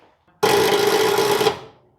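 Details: Engine unstarted for 42 years, not yet fully lubricated, tried through a relay on a battery: single one-second steady starter whine, no cranking rhythm, then silence; engine not turning over, owner suspects insufficient battery.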